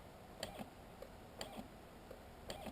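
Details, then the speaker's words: Homebuilt PrintrBot original with an Arduino Mega and RAMPS board, 4-wire stepper on a 250W supply. Sharp uneven clicks as the motor jerks and slips back, squealing at higher speed; stepper stalls, cause suspected (power supply or wiring), not confirmed. "and then if I put around 50 it just squeals so that's what's happening with all my motors"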